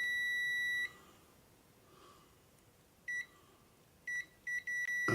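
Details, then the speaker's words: Continuity tester on a radio's transistors; a steady high beep, then short beeps each time the probe touches, showing the transistor legs shorted to the case/ground. "And there we short there. You see? So we're shorted there and we're shorted there."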